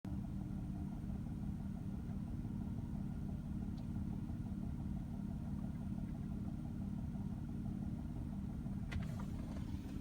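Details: 2004 Nissan Murano engine running with a dull, regular knock of roughly three to four beats a second.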